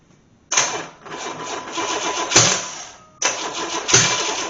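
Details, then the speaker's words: Long-stored 1984 Corvette engine (sat about 20 years) on first test-run on a stand, throttles partly open: ragged popping, spitting bursts, fading and restarting; misfiring, at least one bank not firing, owner suspects ignition 180° out. "so definit farting at least out of One bank it's not firing out of this"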